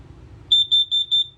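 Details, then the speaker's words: Test-button press on the LP/carbon monoxide detector of a Platinum Salem FXX 290RTKX camper gives four short, shrill, evenly spaced beeps, then returns to green; alarm working properly. Test every nine to 14 days; life expectancy about seven to ten years. "below is going to be our LP slash carbon monoxide detector it is recommended this guy should be tested every nine to 14 days and to test that all you simply do is push that button okay it'll beep again here"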